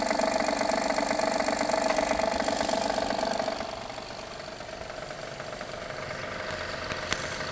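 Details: 2016 Honda Pilot III J30A9 V6, cold start, mic on hanger probe; strong fast tapping about four per second over idle, softening, gone after 2-3 minutes, returns after 3-4 hours off; failed timing belt tensioner knock.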